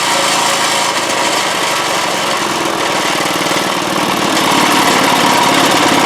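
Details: 1986 Craftsman single-stage snow blower after a new #35 auger chain and new drive belts, cover still off: a steady, even buzz from the small single-cylinder engine with no knocks or slipping. The auger drive runs normally.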